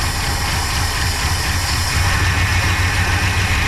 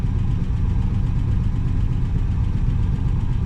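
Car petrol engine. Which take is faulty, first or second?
first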